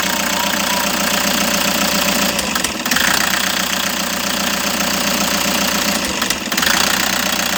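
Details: Toyota HiAce engine at idle: uneven idle with loose, irregular stumbles every few seconds, a misfire still being diagnosed, cause not yet found.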